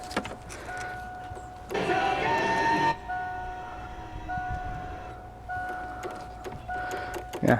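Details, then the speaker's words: 1988 Mustang power window motor inside the door: irregular light clicks about three a second with no motor hum. Power is reaching it but the window doesn't move; owner concludes the motor is bad. "yeah you're right but I can hear it clicking so I know it's getting power it's just motor it's no good"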